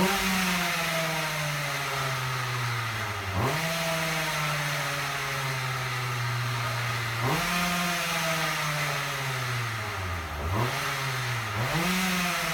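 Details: Husqvarna 36 chainsaw being revived from broken to running: two-stroke buzz rises and sags repeatedly, won't settle; owner suspects timing is early, requiring the low-speed mixture opened up a lot, cause not confirmed.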